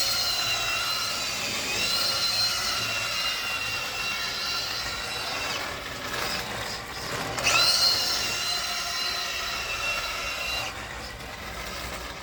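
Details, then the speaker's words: Tamiya King Cab RC truck climbing a driveway under load: shrill electric motor whine screams and wavers while speed barely builds; owner reports ball differential slip. "seen in that video all is not well with the king cab and I'm definitely experiencing ball diff slip from it as it's trying to go up the drive you can hear the motor spinning furiously and the car just doesn't seem to be gaining speed particularly easily"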